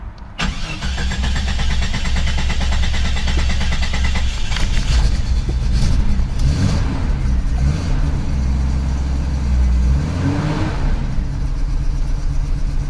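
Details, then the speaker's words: 1995 Jeep Cherokee XJ, first start after installing 4-port injectors and ECU reset: catches on first crank, runs with an occasional uneven stumble, slight misfire; stumble existed before but is less bad, sounds different, ECU still learning. "a little bit of a misfire there but it is learning a little stumble that stumble was there before though that stumble definitely is not as bad it does sound different"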